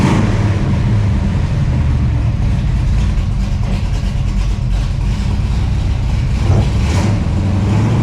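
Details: 1968 Camaro with fresh 383 stroker V8 (~500 hp) replacing the 327, driving under throttle: deep, strong rumble, no misfire, stumble or rattle; engine running healthy.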